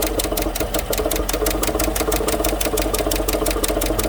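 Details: 2015 GMC Sierra 1500 Denali 6.2L V8 at idle: sharp, even tick about seven times a second from the passenger side, a loose rocker caused by a bent, broken pushrod on number 6 intake.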